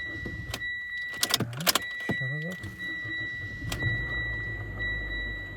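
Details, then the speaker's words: A 2015 Mitsubishi Outlander with the 4B11 2.0, automatic, front-drive, about 209,000 km, after repair for piston slap and oil consumption, with a block heater fitted: the starter whirs and the engine catches on the second try, then idles quietly and evenly without knocking while warming toward 90°C. "давление пошло всё хорошо заработал автомобиль сейчас будем греть до рабочей температуры 90° прога зовать смотреть чтобы нигде ничего не капало не бежало работает тихо без посторонних шумов"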